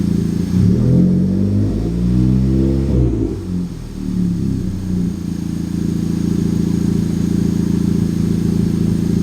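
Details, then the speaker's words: Honda Civic Type R FK8, turbocharged, free revving after a boost leak was found: clean revs rising and settling smoothly, no hiss or flutter on overrun; sounding much better than before. "it's already sounding a lot better than what it was before i don't think uh kathy wanted me to rev it that much"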